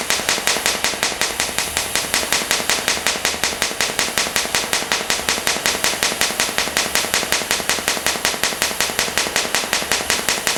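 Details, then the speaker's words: Fronius TransSteel 2200 in TIG mode with pulse enabled, frequency set at about 5.4: a crisp crackling arc beating evenly, a normal pulsed TIG sound. "here so as you can hear it's definitely running a lot different and that's because of the pulses"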